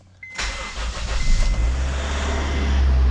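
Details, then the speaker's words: 1st-gen RD1 Honda CR-V after broken timing belt repair, first start with no coolant yet added and battery charged about 20 minutes: short crank, catches at once and settles to a smooth steady idle with no slap or clatter. "Another one lives to fight another day. Oh boy."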